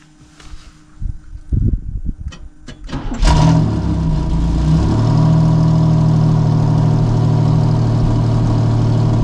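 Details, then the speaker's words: 1990 Pontiac Firebird third gen, long-stored, first start using a starter button: a few cranking bursts, then it catches and settles into a steady, even, smooth idle; normal running. "Well, she's running and she drives and she has brakes."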